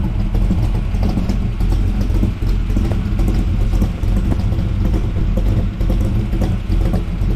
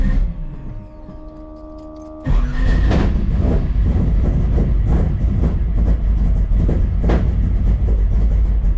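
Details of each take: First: 1979 Camaro, 427 small block with big cam and tunnel ram, idling on newly fitted Walker Ultraflow mufflers that replaced the Flowmaster FX: deep, even rumble with no rasp or drone; a healthy exhaust note. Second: 1979 Camaro 427 small block, big solid-roller cam (107 LSA), tunnel ram, Flowmaster FX mufflers with tailpipes, cold start: loud lumpy idle with uneven chop and exhaust pops; owner attributes bucking to rich, raw fuel intake; settles when warm.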